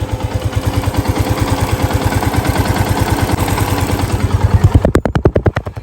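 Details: Yamaha FZ-S V2 FI motorcycle at 45,000 km, piston seized from bad adulterated oil; after replacing piston, cylinder block and clutch plates: steady single-cylinder idle thump, about three beats a second, even with no knocking, heard up close; healthy.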